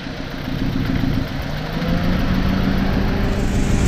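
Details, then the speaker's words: 2002-2007 Saturn Vue 2.2 L, hot, before coil pack replacement: rough, uneven lopsided idle with dropped pulses, smoke from exhaust as one cylinder isn't firing; misfire suspected from failing coil pack. "So yeah, it's got a pretty gnarly misfire. It is smoking out of the exhaust pipe because one of the cylinders are not firing very well, so all the fuel is just going right out the back."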